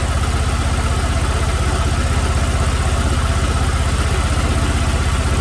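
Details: 2006 Chevrolet Malibu 2.2 Ecotec four-cylinder, flashing MIL, P0300, spark plugs already replaced: rough lumpy idle with heavy low throb about four times a second; cylinders 1 and 4 dead, ignition control module failed.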